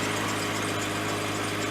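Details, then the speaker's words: 1998 Jeep Cherokee just after a new battery was installed: engine fired right up, died, then restarted. Steady, even idle with a smooth low drone and no knocks, misses or hunting; normal idle. "So let's turn the key, see what happens. Sounds good. There you go. Fired right up."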